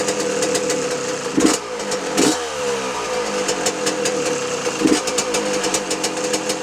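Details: 2006 Yamaha YZ125 two-stroke after a full engine rebuild, with a new air filter: crisp, ringing buzz that picks up sharply on throttle blips and drops back cleanly. Some smoke from two-year-old fuel. Runs healthy.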